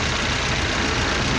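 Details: 2008 Honda Fit 1.5 after repairs. A steady, even idle with a smooth low rumble and no misses, knocks or surging; the engine sounds healthy at rest.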